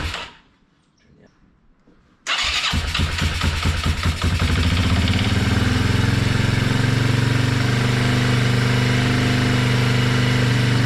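A short silence, then the single fires and catches, chuffing briefly before settling into a steady, even idle.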